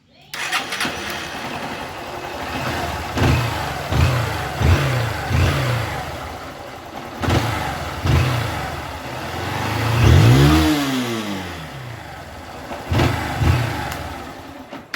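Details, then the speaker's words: Honda Start 160 motorcycle after fitting a new part: starts cleanly and settles into an even idle with a few throttle blips, and the noise is gone. "Zerou barulho moto no ponto é só andar galera"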